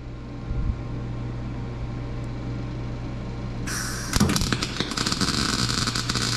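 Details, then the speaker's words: MIG welding with weld-through on a 1955 Chevy trunk panel, spot welding to avoid burning through: ragged, sputtering crackle that keeps breaking up instead of frying smoothly; cause unclear, weld-through coating suspected: erratic MIG weld arc. "so that sounded terrible it looks terrible i couldn't see what i was doing"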